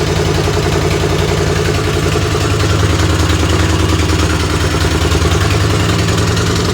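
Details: Race tractor engine idling steadily: deep, loud pulsing exhaust drone about three beats a second; quieter than before but still too loud, baffles need more work.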